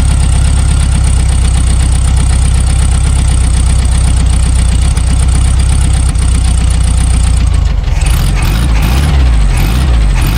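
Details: Abandoned 1974 VW Super Beetle air-cooled flat-four after new points, condenser, rotor, cap, plug wires and wiring repairs: deep steady even idle without misses, tone shifts as revs change; oil pressure and generator charging.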